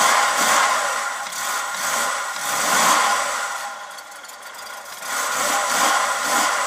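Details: 1994 Ford Fairmont (ED) cold start: engine blipped in surges every few seconds, dropping off between revs, hard to keep running without throttle.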